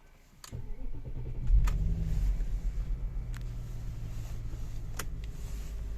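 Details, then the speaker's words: Audi A8 D2 V8, hot no-crank fixed with a new wire from the relay box to the starter motor, first try: short crank, catches quickly and settles into a low, steady idle with a few light clicks; normal warm start. "I PUT A NEW WIRE FROM THE RELAY BOX TO THE STARTER MOTOR LETS TRY IT FIRST TRY ENGINE WARM START"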